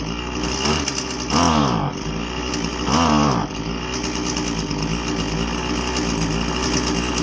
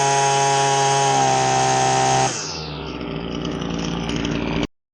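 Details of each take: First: Husqvarna 525LS two-stroke string trimmer with a boggy complaint: the buzz sags and stumbles when throttled up, twice failing to rise cleanly, then cuts out, indicating a lean carburetor that needs richer low and high speed screws. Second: Husqvarna 525LS string trimmer after carb tuning, high speed set slightly rich: a crisp high-rev scream, then a clean drop to a steady idle with no stumbling before shutoff, running properly.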